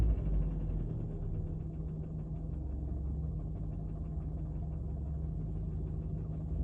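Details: Fiat Bravo 2 1.4 T-Jet, 150 HP, 215,000 km, after recent maintenance: low, rumbling idle with an uneven knock about four times a second, rising slightly with revs; engine knocking, source not pinned down.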